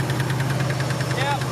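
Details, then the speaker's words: 454 V8 in a Chevy C30 crew cab dually, after new plug wires: fast even ticking about ten per second over steady idle; later no broken springs or bent pushrods found, owner suspects a bad or stuck lifter in the top end. "It's probably knocking really bad, but it started right up."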